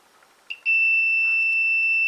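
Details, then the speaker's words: Old Hornby Class 101 three-car DMU model loco, decoder disconnected to avoid back feed, testing connection to connection: click then steady continuity beep on wire number 1 (orange), "perfect"; good connection. "And this is number 1, which is the orange, and that is perfect."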